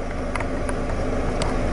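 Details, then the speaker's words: Saturn 1.9 liter, owner reported fan not coming on and temperature climbing, coolant temp sensor already replaced: fan kicked on, temperature dropping; steady even low air rush, no ticking or rubbing; cooling fan working normally. "show you the fan is actually running and I'll show you the temperatures dropping without an external mic it's kind of hard because the fan is gonna drown everything out"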